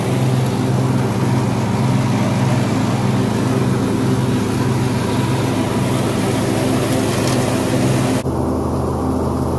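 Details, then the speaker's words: Kubota T1600 two-cylinder diesel mower after deck rebuild and spindle greasing, deck running under load; steady even drone with no grinding or bearing rumble, deck sounds healthy. "the deck sounds good now no awful grinding noises and bearing noises none of that so it's in good shape"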